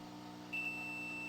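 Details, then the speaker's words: Sony XR-77A80J power supply board 101055111 with a 4-blink error: desoldered transistor tested in continuity mode gives a steady high beep between the middle and left legs. The transistor is shorted. "And this one has no continuity, but does have continuity, which means it's shorted. So only one of the two was shorted."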